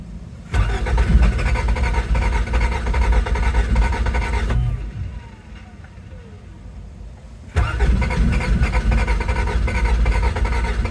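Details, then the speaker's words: 1987 Toyota MR2, project car that had started before, on a makeshift battery: the starter cranks steadily but the engine never catches. Owner suspects low or poor gas; cause unconfirmed. "I'm extremely disheartened. You know, it didn't start. We had it starting before and now it doesn't."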